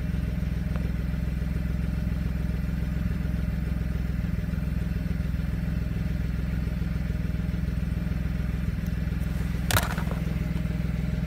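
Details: 2007 BMW 335 idling with a low, lumpy, uneven beat and occasional stumbles, a misfire with fault codes. It appeared after winter storage and a valve cover gasket change; cause unknown.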